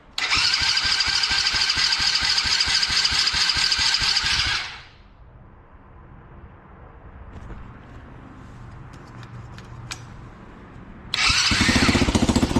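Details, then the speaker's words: Drift quad: after a couple of gas squeezes it fires first try, with a brisk, even buzzing run that cuts out, then catches straight away and settles into a steady rhythm; normal start and run. "after a couple gas squeezes she'll fire right up first try but anyways this is mint this is mint"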